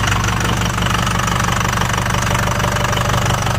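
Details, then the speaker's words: Ford Super Duty 6.0 Power Stroke diesel, just started on starting fluid; harsh, loud clatter at idle with sharp knocks about three per second and smoking, check engine, ABS and brake lights on, cause unknown. "Jesus Christ, that's noisier than a 7.3."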